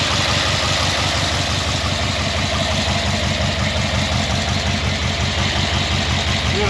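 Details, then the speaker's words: Chevy K10 squarebody V8 just fitted with budget exhaust and dual-chamber Delta Flow mufflers, first start: loud, lumpy idle with a rough puffing pulse; a little carb backfire and a felt header/collector gasket leak. "We're going to crank this thing up, see how it sounds. A little backfire of the carb."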